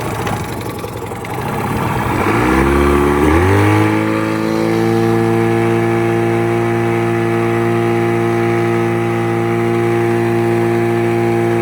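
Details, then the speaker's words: 1989 Yamaha 25hp outboard plug test: new plugs, started and run at wide open throttle, then killed. It climbs fast to a steady high buzzing wail; the hot plugs showed a lean mixture. "There you go. It looks lean. Ow, it's hot. No shit, right? It's lean."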